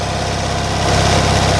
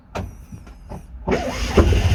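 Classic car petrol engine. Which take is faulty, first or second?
second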